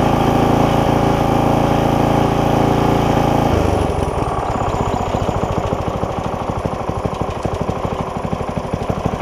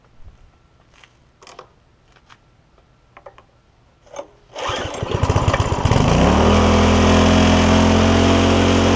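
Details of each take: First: Barn-find tiller small single-cylinder engine, first start after freeing a frozen throttle, pre-filter removed, oil full: loud drone dropping to an even slow idle chug; normal idle. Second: Barn-find tiller, first start with gas in it, pre-filter removed: after rattling it fires, climbs quickly and holds a fast steady drone without settling; throttle stuck open, later freed and it idles.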